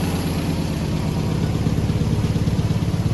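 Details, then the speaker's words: MGB with carburetors just refitted with new seals, air filter not yet on: even, steady idle with a soft regular pulse, no misses or knocks, no smoke from the exhaust; running smooth, a normal idle. "Idling perfect. No smoke coming out of the exhaust. Really looks good."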